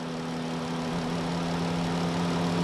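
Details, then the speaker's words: 2013 Chrysler Town and Country engine bay at idle: constant low steady whine; unplugging the alternator barely changes the tone, so the alternator is not confirmed and the power steering reservoir is suspected. "what we're trying to do here is unplug that and see if that noise changes to a different tone if it does then we confirmed it's the alternator"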